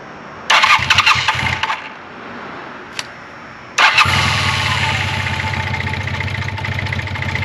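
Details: 1980 Honda CB400T Hawk, first start after carb rebuild and oil change, choke on: catches and sputters, dies, then restarts into a fast, steady choke idle with no knocks or rattles; normal running.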